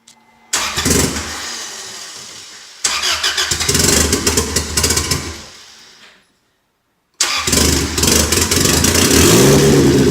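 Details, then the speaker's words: Freshly rebuilt turbo 1996 Honda Accord CD5; tune first suspected, vacuum leaks checked. It catches, revs unevenly on the pedal, then dies and cuts out before restarting; it won't hold idle without throttle. Stalling idle. "it won't stay idling so I just have to keep my foot on the gas to keep it running"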